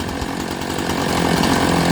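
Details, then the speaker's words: Chainsaw idling, with a 60 thou gap set between the bar bottom and the link top: even, burbling two-stroke idle that holds steady without hunting or stalling. The saw idles properly. "okay we got a good idle just listen to that your chainsaw probably isn't either that well that's a good Idol"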